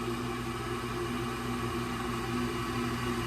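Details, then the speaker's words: Old Rheem condensing gas furnace, no-heat call: with a jumper on, the draft inducer motor runs with a steady whirring hum but no burner lights; suspected cracked OEM hot surface ignitor, later confirmed failed after under three heating seasons. "All right, got the jumper on and draft motor is running. They said that uh it wasn't doing anything. Maybe they just didn't hear it running. Draft motor is running."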